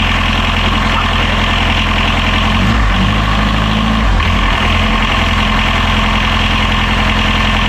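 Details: Catamaran diesel genset idling while output is checked for reverse voltage after something blew during lithium battery charging; steady even low drone at constant speed, no knocks or hunting: normal idle.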